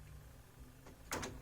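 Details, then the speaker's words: Old budget audio system with CD and cassette: a short whirr, then a sharp clatter as the CD tray closes; the closing is noisy and strained, suggesting the tray mechanism is binding. "okay the closing is maybe not so hot it's doing something wow that's noisy oh that doesn't sound good at all"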